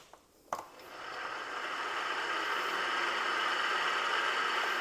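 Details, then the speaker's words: Polaris Sportsman 500 whose cooling fan would not kick on, after installing a breaker and jumpering the radiator temperature switch, key on: click then smooth airy whoosh building and holding steady; fan now runs normally. "so now when I turn the key on we should hear the fan kicking on"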